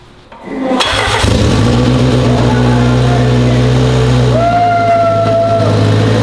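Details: 1993 AWD turbo K-swapped 1000 hp Honda, fresh self-built blueprinted engine, first start after replacing a leaking fuel fitting, with good oil pressure: cranks briefly, catches and settles to a steady, even idle with a light whistle. Sounds healthy.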